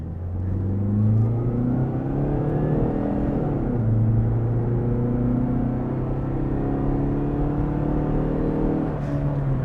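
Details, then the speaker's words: Chrysler PT Cruiser on a test drive, accelerating hard; notable vibration at stops, motor mounts doubted. Loud, rough engine roar climbing in pitch through the gears, no knock: decent throttle response, normal but very noisy engine. "throttle response is pretty decent but you can hear the engine is pretty loud let's get on the power here"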